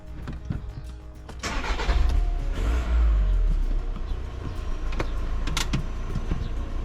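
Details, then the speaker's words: 2015 VW Crafter 2.0 CR35 TDI camper van started after Wynn's turbo cleaner treatment, misfire expected: short crank, catches, settles to even idle with no stumble or miss, turbo whistle; normal start and idle. "all sounding nice and smooth"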